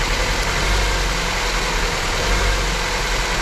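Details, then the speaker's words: Honda petrol engine idling unevenly with an irregular thump and stumble: a cylinder 2 misfire that persists after the injectors were swapped and the injector power supply was checked. "Nadal mamy problem z zapłonem na drugim cylindrze."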